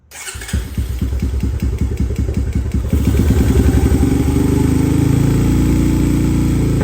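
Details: Thrashed 2017 Honda TRX250X single-cylinder ATV, restarted in neutral with choke on after dying: catches, chugs unevenly, revs briefly but won't settle to idle without throttle; vacuum leak at carburetor.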